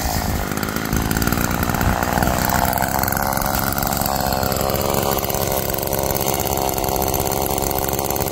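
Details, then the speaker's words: Roadside-found Homelite chainsaw after carburetor rework, cold-started after sitting, cutting wood: loud, steady high-revving buzz holds speed as it bites, pulling cleanly under load. Chain oiled; owner suspects it runs a little rich, bogging in larger logs then coming back. "well that was a pleasant surprise a nice little machine and cut really well actually the chain is wet so it's getting oiled nicely"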